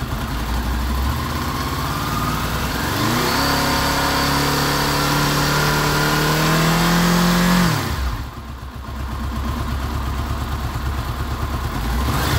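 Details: Honda VFR800 VTEC V4 with 58,200 on the clock, after timing chain replacement, warm at about 94 °C: revs climb smoothly from idle to a steady higher speed, hold evenly, then drop back cleanly; normal revving.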